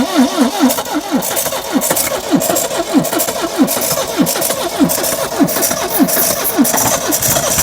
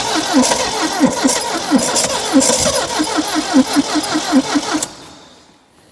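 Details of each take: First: 1972 Triumph Dolomite 1850 barn find, off the road 34 years: slow steady cranking, then engine catches with a rising roar and runs about a second before dying; fuel pump seized/dead, new pump needed. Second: 1972 Triumph Dolomite 1850 barn find, off the road since 1990 (34 years): starter cranks about 2.5 beats a second with ragged half-catches that never run, no choke joy; fuel delivery fault, fuel pump seized and choke stuck.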